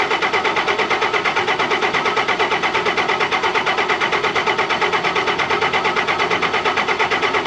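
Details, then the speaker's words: 2005 Ram 5.9 Cummins diesel, unrun for a couple of years, after replacing FASS lift pump filters; steady starter whir pulsing about twice a second without firing, fuel starvation as the lift pump isn't pumping or keeping up. "so that tells me that this pump is either not pumping fuel or it's not able to keep up with the draw of the engine"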